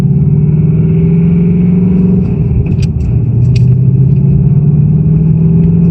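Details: 2018 Ford Mustang GT Performance Package Level 2 (S550 Coyote) on cold start: steady idle rumble with a faint, irregular light rattle on top; owner says it is not the HPFP and suspects piston slap, unconfirmed.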